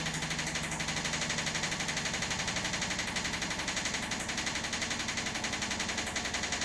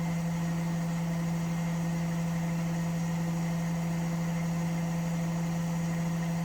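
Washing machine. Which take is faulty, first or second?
first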